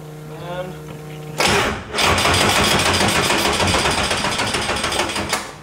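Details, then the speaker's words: Tame Prototipo race car, Nissan 2.4 L naturally aspirated 4-cylinder, first start during rebuild, battery sat a while: starter turns engine sluggishly, about three compression beats a second, never fires; weak battery, starter fine. "stop it's kind of weak that battery's pretty weak over there"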